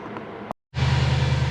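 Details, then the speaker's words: Big-turbo, big-cam Subaru engine after pulling it to fix a head oil leak (forgotten bolts): slow, labored cranking with even low thumps and no firing at about six percent throttle; cranking speed too low, no start. "I've got about six percent throttle on this I should idle up but we're not getting the cranking speed"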